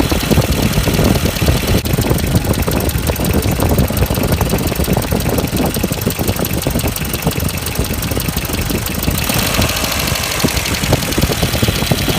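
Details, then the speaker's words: 1994 Ford Econovan after new ignition points and timing set, cracked no. 1 plug lead: loud, fast, steady idle that never drops back down; throttle sticking and not returning. "Okay, it also sounds like my throttle's sticking. Yep. That was getting a little sticky, it wasn't going back."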